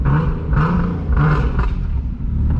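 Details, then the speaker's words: Single-turbo Nissan 370Z Nismo, hot after driving: deep smooth exhaust rumble swelling with short throttle blips, no rasp or ticking; normal, sealed exhaust note. "dude this car sounds so sick i don't care what anybody says"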